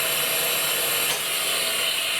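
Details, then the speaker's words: Bench grinder in shop, recorded with remote mic: harsh, steady, high-pitched rasping roar, one of the noisiest in the shop; noisy running, owner suspects bearings and may replace them. "this is probably one of the noisiest buggers I've got in the shop"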